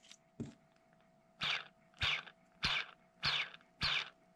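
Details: Hyperlite 2207.5 1922KV brushless quad motor flicked by hand before bearing replacement: five short gritty bursts, rough and scratchy rather than a clean whir; bearings worn from flight time and crashes.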